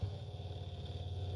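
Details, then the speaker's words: Electric diaphragm oil pump for a turbojet go-kart engine, after cleaning debris out, with the housing removed and run bare before the first engine start: still no pressure, low uneven hum that surges and sags; the motor itself has failed, and the owner wonders if water got in. "it's still still no pressure still sounds like doo doo so uh I took the they got the housing off and tried turning the pump on come to find out it's the motor itself is no good"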